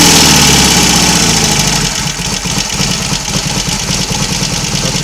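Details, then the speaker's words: Royal Enfield Constellation twin running both cylinders from one carburettor, the morning after first successful run: steady, even loping idle settling as it warms, no knocks or misses; running nicely for the first time; return to two carburettors planned. "enough of my Waffle it's running nicely for the first time since it's been here that's got to be a good thing"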